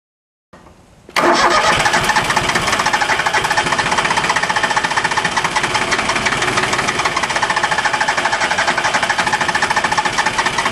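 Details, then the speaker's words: Small Yanmar diesel after a fuel filter change without bleeding, so air is in the injector lines; all three injector lines cracked and bled, then cranked: steady cranking about four compression beats a second for ten seconds, never catches; owner suspects more bleeding needed. "all right start a rest for a couple seconds here I don't know I think we were definitely closer there but maybe not quite close enough have a feeling I should have bled the others a little bit more"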